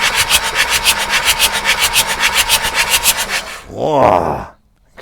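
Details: Abandoned Bedford CF2 van with an in-cab engine, long-dormant start attempt: rhythmic starter churn at nearly four turns per second for several seconds with no catch. It cranks but does not start.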